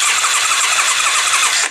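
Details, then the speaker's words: Carbureted Kymco Venox 250 motorcycle cranking with a spark tester on the plug caps: steady whirring starter crank with soft even pulses, no firing; no spark at front or rear plug, ignition system (high-tension coils) to be checked. "aparece nada de chispa pero nada vale bueno pues la decimos verificado que no tenemos chispa ni en el cilindro delantero"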